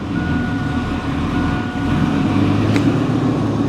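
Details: 1999 Chevrolet 1500 with 5.3 V8, crank-no-start after customer replaced battery and starter, just started after repair: steady even low rumble with a faint constant tone, no misfire or knock; normal idle.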